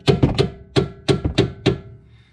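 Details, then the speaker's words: Inner tie rod clunk on a 1999 Porsche Carrera 4 (996) with used H&R street coilovers, front right wheel off: sharp hollow clunks as a mallet strikes the steering, moving outside to in; inner tie rod suspected bad. "So it's pretty loud. And I notice as I go from outside to in, it seems like the inner tie rod is bad."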